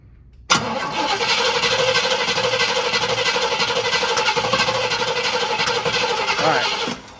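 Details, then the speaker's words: 1981 Pierre Cardin Evolution 1, timing just corrected from 180° out: a long harsh crank with several sharp pops as the carb backfires. Previously rebuilt injectors, especially driver's side, leak and pool fuel in the intake manifold. "And then on the intake manifold, it's just pooling fuel, so it's just dumping fuel. And when we crank it over, it just backfires out the carb."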